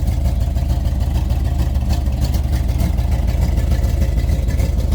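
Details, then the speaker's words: 1992-94 Chevy K5 Blazer about 10 minutes after adding a bottled additive: low pulsing idle, slightly uneven chuff about three beats a second, exhaust tone changed greatly and no more water from tailpipe; suspected head gasket or intake manifold leak, coolant level unchecked. "Alright guys, so it's been about 10 minutes. It has changed its tone big time. It ain't pissing no more water out."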